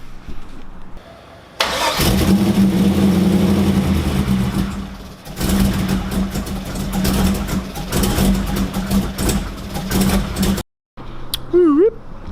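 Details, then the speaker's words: Corvette, first fire-up with MAP sensor missing and boost controller not yet done: cranks, catches, runs unevenly with surging lumpy revs, then dies; rough running from the missing MAP sensor. "as you guys seen, Alfonso's car fired up, kinda. It is missing the map sensor, and it's got a bunch of stuff going on,"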